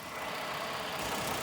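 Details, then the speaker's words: 2020 Ford Explorer Police Interceptor, 3.3 L engine, 76,738 original miles, collision damaged: brief, even idle under hiss with no knock or tick, engine sounds good; it reportedly overheated after 20–30 minutes of running. "It's got a 3.3 L engine. Engine sounds good. It only has 76,000 original miles."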